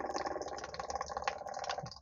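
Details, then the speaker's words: Onan Microquiet 4000 RV generator, electric fuel pump tested on the house battery with the hose disconnected: quiet, fast, even ticking buzz with no stutter, pumping a steady stream; working normally but still to be replaced. "okay so my fuel pump seem to be working it's pumping very steady stream but still uh I'm gonna change it anyway"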